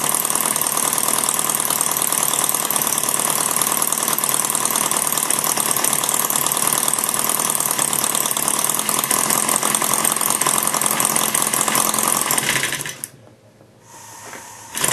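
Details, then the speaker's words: Maier TA4 radial after tuneup, warmed up, at low idle taking almost nothing to run: fast, light popping, firing every time with no misses; normal warm idle. "it's a nice little idol there you know it's running real uh firing every time when you can get a title now"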